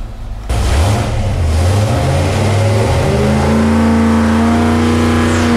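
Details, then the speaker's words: Mopar 383 V8 (flat-tappet hydraulic cam) for '68 Dodge D200 on dyno during ring break-in: full-throttle pull climbs smoothly with no stumble; 385.5 hp at 5,200 rpm, 406.3 lb-ft at 4,300. "We did a little bit better than we did before. We did a 385.5 right now at 5,200 RPM. Torque came in over 400."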